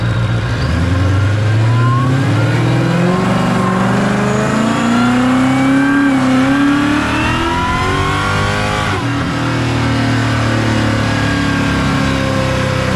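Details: Supercharged Coyote V8 Ford Fairmont on dyno, about 900 rear-wheel hp, new Magnafuel 750 pump on boost-referenced return fuel system: deep roar with blower whine rising smoothly as revs climb, no misfires or stumbles; plenty of fuel, normal WOT pull.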